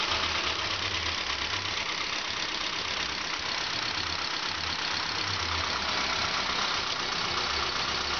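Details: Saab 9-5 with a 2.0L turbo B205E engine, fully rebuilt and fitted as a replacement, starting for the first time; it catches instantly and settles to an even, smooth idle with no knocks or misses.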